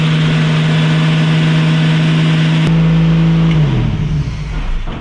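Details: 1965 Mustang inline six (Iron 6) after carburetor fuel line rerouted: engine howls at steady high speed with no throttle control, then winds down sharply; runaway full throttle because accelerator linkage was never connected.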